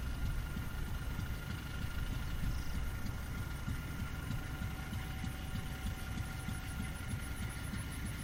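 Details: Fairbanks 208 single-cylinder engine on an oil-well pulling unit, just started by spinning the flywheel after a pump change, probably fed gasoline as well gas is weak; steady low thumping, even unhurried firing, no knocks or misses, running normally.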